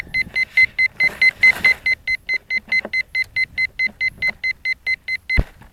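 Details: P1600 ESC on an RC plane in a large hay field: even high-pitched beeps about twice a second, then stopping; controller signalling a fault, cause unknown.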